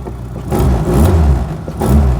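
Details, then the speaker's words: 1999 Reliant Robin MK3, pulling away: two revving surges with rough chuffing low note; it sounds like the exhaust might be blowing a little, not confirmed. "oh sounds like the exhaust might be blowing a little bit but uh there we go"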